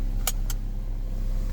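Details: Saturn Ion manual after cleaning corroded PCM connectors with DeoxIT D5 and greasing the connector housing; low steady idle, couple of light clicks early, no misses or knocks; normal smooth idle.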